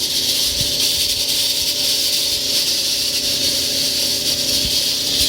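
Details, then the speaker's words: Frigidaire-built Kenmore electric dryer, hot, belt disconnected from drum: loud steady rushing roar with faint low hum; noise from the motor/blower wheel area, not drum or drum bearings. "so we can see the problem is nothing to do with the drum itself or the drum bearings so now running really loud just a fan"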